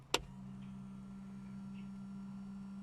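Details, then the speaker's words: Newly wired boat pump, fed through a switch: after the switch click, a steady low electric buzzing hum holds even as the small pump runs normally. "so basically the switch on one side of the switch is the hot and then when you hit the switch it Loops back to the pump so if I fire this up right now you should hear the pump kick"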